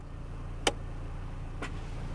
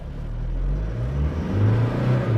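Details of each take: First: 2020 Toyota Hilux Conquest 4x4 automatic in neutral at idle, shifting H2 to H4: one sharp clunk then softer knock as transfer case engages, indicator blinks until driven forward; normal transfer case engagement clunk. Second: 2020 Toyota Hilux 4x4 in L4 low range on pavement: engine revs high and rough under load, with a strong, steady whine from the front driveline gears; normal low-range gear whine.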